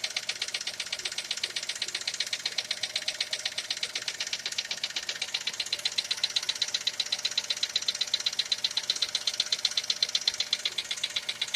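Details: Skoda Fabia engine knock, cause being sought: sharp, very regular metallic ticking about two and a half times a second over a quiet engine.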